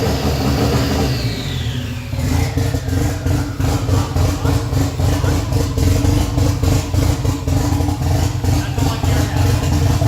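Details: Freshly rebuilt Nissan 180SX SR engine, first start after 10 months, running briefly with no exhaust and no intercooler piping: after a blip the open-pipe idle pulses roughly and surges, lumpy like a big cam; hunting idle.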